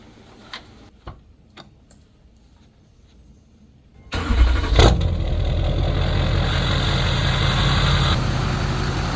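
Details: 2005 Duramax LLY diesel after rebuilding the leaking fuel filter housing and bleeding fuel with the hand primer: some quiet clicks, then it cranks, catches at once and settles into an even, steady idle clatter; starts and idles normally.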